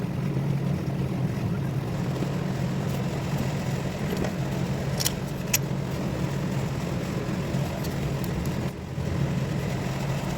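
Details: 1999 Lexus GS300 inline-six that cranked but would not start, first start after throttle body refitted (loose vacuum line found): low, even hum with steady rhythm, no stumbling or tapping; starts and idles smoothly.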